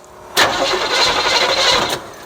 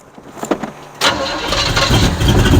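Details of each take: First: 1972 Chevrolet Chevelle, sat 5 years, fuel dripping from a cracked nut that may suck air: about 1.5 seconds of starter cranking with no catch, and no fuel reached the carburetor yet before priming. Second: 1972 Chevrolet Chevelle, sat 5 years, after priming the carburetor: the engine catches after a brief crank and settles into a steady, even burbling idle, running longer than the squirt of gas. A small drip remains at the back.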